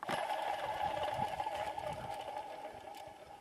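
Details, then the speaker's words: 1999-2002 Honda Accord V6 alternator removed, spun by hand: rough gritty ringing that slowly dies away instead of spinning quietly; worn alternator bearing, replaced with a new quiet unit. "And let me show you why I'm replacing the alternator in this car. Listen to this when I turn it. Yeah, it's time for a new alternator when that starts happening."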